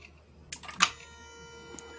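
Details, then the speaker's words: Mercedes E320 non-ASR throttle body with its throttle actuator control module, bench tested at power-up: a couple of quick clicks and brief buzz, then a faint steady hum as the throttle plate twitches to idle position; normal healthy self-test. "the humming sound from the unit itself you hear this huming sound this is a nice healthy sound"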